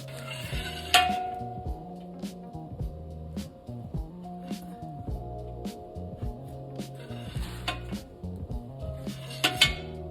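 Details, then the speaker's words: Ram EcoDiesel, suspension loaded on a jack stand, wheel pried up and down: sharp metallic rattle-clicks from the driver-side worn inner tie rod; sway bar frame bushing also replaced. "I can hear the the rattle click noise. I mean, it could be the inner tie rod."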